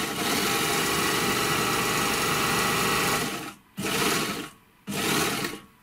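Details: Three-thread overlocker after cleaning, lubrication and adjustment, stitching test fabrics: fast even whirring run then two short even bursts, no knocking or catching; stitching cleanly.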